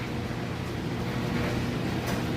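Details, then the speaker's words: Three-year-old Whirlpool HE electric dryer on timed dry with a heavy load of wet clothes: steady low drum rumble with soft tumbling thuds, no squeal or scrape; normal, smooth running. "As you can see, it's a nice, smooth operation. Sounds great."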